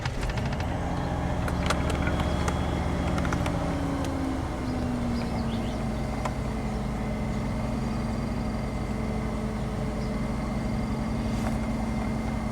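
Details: 1994 Ford F150 cold start after new spark plugs and reconnected EGR vacuum lines, codes cleared: fast cold idle settles smoothly with slight whine, no misses or knocks, open loop; normal cold idle.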